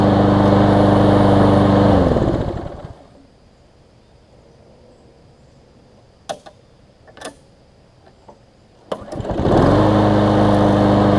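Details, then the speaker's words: Newer Lawn Boy mower, previously sometimes failed to start when warm; after carb cleaning and ten to fifteen minutes' running, steady single-cylinder drone cuts off, a few clicks, then fires instantly back to an even run: normal warm restart. "so it seems to be restarting well one last test and I won't show this on camera just because no real need to"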